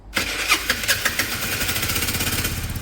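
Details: Restored Peugeot Satelis scooter at its first start: the engine catches after a few cranking bursts and settles into a quick, even patter on the automatic choke. A clean start and steady cold idle, though it doesn't want to rev yet.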